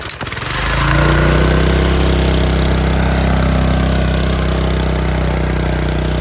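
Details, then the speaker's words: Small-engine power washer, first start in over a year, choke ineffective: loud flat-out drone climbing fast and holding at screaming speed with no throttle control; engine over-revving, owner suspects broken internal governor. "I think the governor broke and it just revs really high and there's no throttle control to it"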